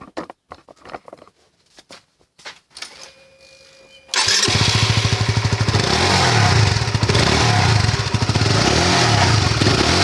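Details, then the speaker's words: Motorcycle exhaust heat shield rattling: tinny metallic buzz over the exhaust note, loudest around 6,000–7,000 rpm while riding; the lower fairing and the shield's two hex bolts are removed to inspect it. "สวัสดีครับวดีโอนี้ก็เป็นวดีโอมาแก้ไขปัญหาที่เกิดขึ้นนะครับคือปัญหาเสียงเสียงตัวฝาครอบท้ายาครอบท่อนะครับดังอ่ามันดังยังไงมาดูกัน"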